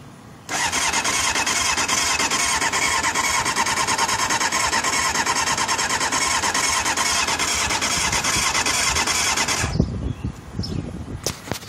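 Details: Honda CBR600F2 motorcycle cranking fast and evenly for nine seconds under a loud high squeal without ever catching; engine cranks but won't start.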